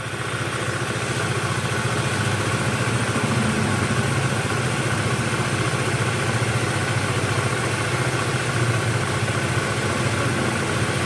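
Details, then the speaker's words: Older carbureted Honda Vario 110 after carburetor service, air screw loosened to find highest idle RPM: steady putter lifts slightly, then settles as mixture is set; clean idle. "Kalau RPM-nya naik, kita kendorkan lagi. Oke, kita kendorkan ini, cari RPM tertinggi."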